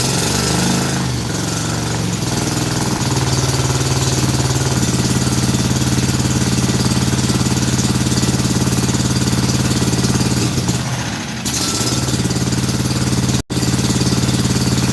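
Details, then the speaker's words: Scag mower with a Kawasaki twin after a carb install (bad needle and seat), with lots of water in the fuel tank: uneven, lopsided thumping about three beats a second at idle. Owner suspects it runs on one cylinder, since one kill wire made no difference. "might be only running on one cylinder. When I hooked the kill wire up on that side, it didn't make a difference."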